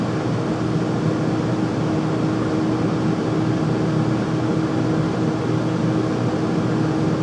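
A constant loud rush of air with a steady hum riding on top and no change over time; the furnace runs abnormally loud.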